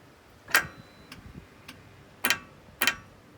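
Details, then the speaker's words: Ferrari 360 F1 gearbox, heard from underneath while pulling a test string: sharp actuator clicks about every half second with the F1 pump running, yet no gear engages; actuator clicking without gear selection. "So, you can hear it clicking and you can hear the pump, the F1 pump as well at the top. There you go. So, it sounds like and it feels like I put my finger on it, it's trying to do something, but it is just not selecting any gears."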